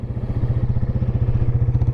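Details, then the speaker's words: 1996 Yamaha Wolverine 350 4x4 ATV, parked after first ride: even, steady single-cylinder thumping with no misses or stumbles; idling fantastic and nice and smooth. "And as you can hear, it's idling fantastic, running fantastic, and it's nice and smooth."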